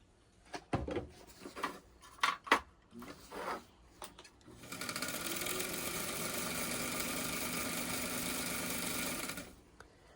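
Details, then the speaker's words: White 1563 sewing machine after cleaning and oiling, needle previously hitting plate; few clicks then steady even rapid stitching, slight knocking still present but less evident; normal running. "It still has a bit of a knocking noise, but like I said, the good news is is it's not as evident."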